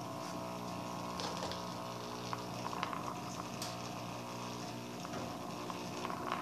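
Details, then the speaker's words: Electrolux LF 750 washing machine tested with a test control board: quiet steady low hum with a few light clicks, the small air intake pump humming instead of running, board judged faulty and replaced; pump humming. "Vamos ligar. Tá roncando a bombinha de entrada de ar."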